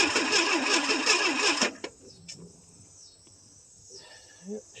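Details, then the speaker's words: 1979 Ford Fairmont 2.3L four-cylinder, parked about 23 years with no air cleaner: starter churns evenly, near three pulses a second, for under two seconds, never catches; cranks but no start, cause unknown. "don't sound like she's going to go yet."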